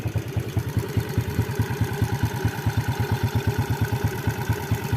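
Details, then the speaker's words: Yamaha Vega R New / Jupiter Z with a custom racing camshaft, hot idle: quick, even tick, possibly valve train, persists though valve clearance is set correctly; owner suspects the custom cam, source unconfirmed. "Tapi ini padahal ini setelan klepnya udah pas ini ya, tapi masih bunyi ini ya."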